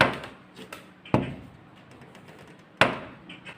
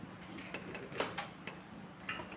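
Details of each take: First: Swing door closer knocks with sharp "tak tak" above the door frame as the closer snaps it shut, after long use loosened the receiver groove and its cover nut; the recorded fix is a thin steel shim plate and tightening the nut. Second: Swing door after repair: the loose closer receiver slot above the door edge was packed with thin steel plate and the nut retightened; door opens and closes with only soft light clicks, the earlier tick-tick knock from the closer gone.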